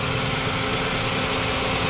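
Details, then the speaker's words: Toyota Vios 2NZ after about an hour of running since the brittle PCV valve hose was refitted onto the intake manifold: steady, even idle with no stumble, surging or miss; the hose was the only problem, normal idle. "So hindi na talaga Nagloko yung kanyang idle ibig sabihin doon lang sa host ng parch valve ang naging problema"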